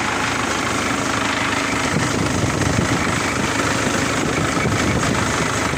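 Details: 2004 Isuzu D-Max with 4JA1 diesel idling: rough clatter with a faint whirring over it, owner suspects the turbo bearing is starting to fail, not confirmed.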